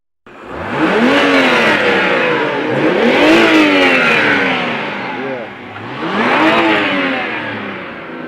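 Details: BMW 320i after a starter replacement, earlier no-start: starts promptly, then three clean rev blips rising and falling smoothly without hesitation or misfire; engine sounds healthy.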